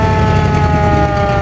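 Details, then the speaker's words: 1947 Ford fire truck running, hard starting: loud, steady wailing mechanical siren note holding its pitch over the engine; the siren works. "And the siren, you heard it. It does work."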